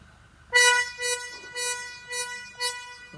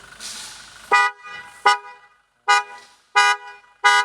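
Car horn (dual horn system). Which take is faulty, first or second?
first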